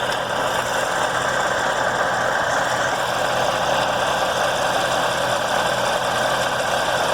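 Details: Chevrolet Corvette C7 Z06 V8 idling with an unusual rapid light tapping/knocking, steady through the clip, like a loose marble rattling inside the motor; internal tap, cause unknown.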